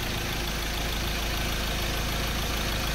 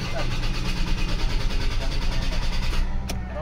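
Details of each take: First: 2003 Ford Ranger automatic restarted hot after running 45 minutes. The previously hard hot start was fixed by cleaning the camshaft sensor. It now starts without long cranking into a steady, even idle with no stumble or hunting. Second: 2003 Ford Ranger automatic, hard start worse when engine hot: starter cranks about three times a second for nearly three seconds without firing; long cranking.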